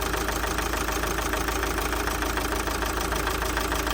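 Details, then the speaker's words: Opel Zafira B 1.9 diesel, 400,000 on engine, won't pull below 2000 rpm; regular idle clatter unchanged with the third injector unplugged, so that cylinder isn't firing: dead third injector. "нічого не змінилося четверта четверта працює"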